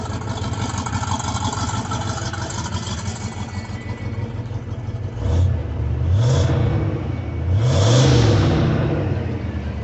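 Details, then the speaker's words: Ford V8 revved just after replacing the lifters, with decent oil pressure. Vacuum of only 11–12 inches is suspected lost at the brake booster, leaving no brakes. Steady idle, then two smooth throttle blips with no valvetrain ticking. Normal revving. "It sounds great, I just don't have any brakes."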